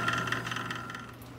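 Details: Jet 1220 wood lathe running: steady hum with a quick regular knock, about eight per second, fading as it slows.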